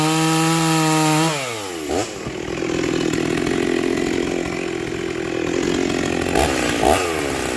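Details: Rebuilt vintage Stihl 036 chainsaw with an aftermarket Meteor piston and cylinder, new crank bearings, seals, muffler and clutch, and a rebuilt OEM carb: it revs high and clean, drops as the chain bites, then pulls steadily through the wood. Normal running under cutting load.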